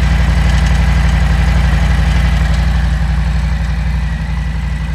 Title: What is this ticking noise? — 2020 Harley-Davidson Low Rider S - FXLRS - Milwaukee 8 - Lifters??